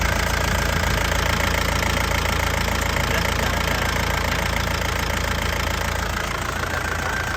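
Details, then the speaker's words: 2003 Touring turbo manual diesel at idle: steady, even, crisp clatter that is stable with no limping or misses, and no smoke from the exhaust; a healthy engine idling normally. "Lur, suara mesinnya, Lur. Suaranya masih renyah. Enak ya. Mesinnya juga stabil, tidak pincang ya."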